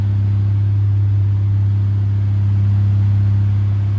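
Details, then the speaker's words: 1980s Sanyo 9-inch oscillating fan (2-speed shaded-pole C-frame motor), unoiled before restoration, on high (speed two): smooth, constant low hum with no scraping, ticking or pitch wobble; shakes a little but not too bad; normal. "bad at all it shakes a little bit but not too bad"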